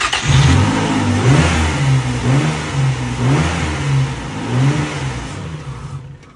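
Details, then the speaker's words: Car sat nine months, jump-started with a jump pack: catches and runs roughly at wavering idle for several seconds, then dies when dash lights go off; owner suspects alternator not charging. "like as soon as the lights go off on the dash then it dies like the alternator is not producing any anything"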